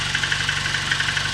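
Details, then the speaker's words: VAZ 2109 at about 192,000 km on its original unrepaired engine, at cold idle: light, quick metallic ticking, evenly spaced. Owner attributes it to worn tappet seats and thermal clearance and expects it to fade after warm-up. "Стаканчики брякали сильнее. Ну и завязкости тоже много зависит. Они брякают, потому что ещё не вошли, ну, тепловой зазор ещё. Когда будет машина прогреется, тогда этот звук иснет."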